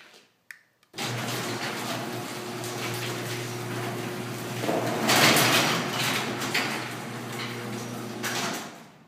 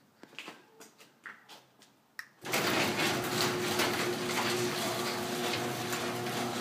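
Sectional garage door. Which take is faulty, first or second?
first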